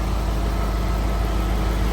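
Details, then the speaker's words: 2003 Audi RS6 sedan, 59k miles, 450 hp twin-turbo V8, idling, heard from under the hood: steady, smooth low rumble with even idle and no knocks, ticks or whines; healthy. "All right, I went ahead and fired the engine up here just so you can hear what it sounds like underneath the hood"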